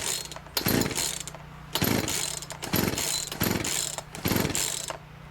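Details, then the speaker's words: Two-stroke free chainsaw after fitting universal fuel lines, no air filter, fuel in, switch on, primer used, choke flipped: five pull-start bursts of rattling, sputtering cranking with one brief near-catch, but it won't start and run. "nope doesn't want to start so now we got to figure out what's going on"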